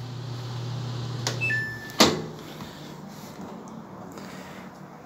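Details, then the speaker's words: Samsung washer hum dies, then a brief error beep as it locks out during spin; drum suspension kit damaged from running unlevel (front foot raised about two inches), causing noise and stopping in spin; error beep after unbalance stop. "ven ahorita ya siguió fallando de manera de que ya Se bloqueó ya dio el reporte de error y pues hasta ahí llegó la cosa"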